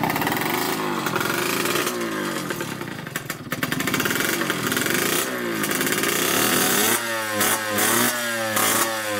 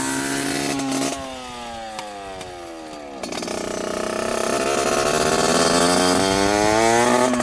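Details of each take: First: 1986 Yamaha YSR 50 two-stroke after carburetor reinstalled; crisp ringing revs rising and falling cleanly through quick blips, no misfire or rattle; normal running. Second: 1986 Yamaha YSR 50 two-stroke with aftermarket DG pipe, leaking gas, on first ride: revs up, sags, fades and climbs unevenly, hesitating under throttle. Rough running; sounds like something plugged up starving fuel, cause unconfirmed.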